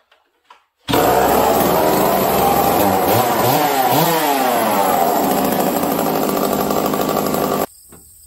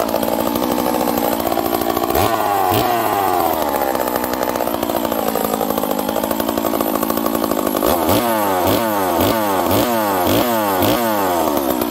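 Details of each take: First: Stihl 038 chainsaw, new build, starting cold with low jet at four turns: loud rough two-stroke roar that wavers and bogs right after starting from lack of fuel; lean on low jet or choke circuit suspected. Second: Stihl 038 chainsaw, rebuilt, warm after first one-pull cold start: crisp steady high idle with clean throttle blips, huge compression and crisp ignition timing, running healthy.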